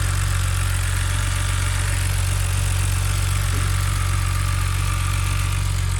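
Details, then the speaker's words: 2006 BMW 325i with the N52 engine at a smooth, even idle with a faint regular light ticking; this lifter tick is common on these engines and harmless, so the engine is healthy. "that is a perfectly healthy sounding bmw motor"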